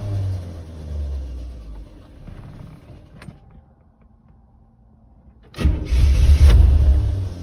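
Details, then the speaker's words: 1985 Chevrolet Corvette, after sitting two weeks under snow, rented fuel pressure gauge fitted: fires, runs rough, fades, catches with an uneven surge; pressure 20 key-on, 40 running, won't idle, drops quickly after dying. "so as you can see the needle jumps up to 20 when i turn the key on and then it wants to go to 40 when it starts but it doesn't want to idle and as soon as i turn the engine off or as soon as it sputtered and died the fuel pressure dropped back down at 20 pretty quickly"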